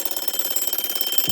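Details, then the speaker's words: 1935 Westclox Sleep-Meter alarm clock after mainspring replacement, bell refitted, sitting on wood: fast even bell strikes, steady clatter without stalling; alarm ringing properly, only the second time in decades. "This alarm has been heard for the second time in, like, I don't know, 20, 30, 40 years."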